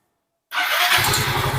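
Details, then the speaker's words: Yamaha Fino scooter after replacing a worn camshaft that caused loud ticking. A quick start settles into an even, steady idle pulse with no valve-gear tapping; it runs clean. "Kondisinya sudah sangat lancar. Kondisinya sudah sangat lancar. Rasanya seperti mengendarai motor baru lagi, kawan."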